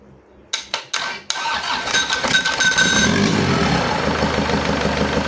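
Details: Isuzu Panther 2.5 diesel, first start after overhaul and turbo/intercooler upgrade, idle for about two weeks after assembly: cranks, catches, runs rough with a light fast tek-tek tick; valvetrain suspected not yet fully settled, warming up for oil pressure.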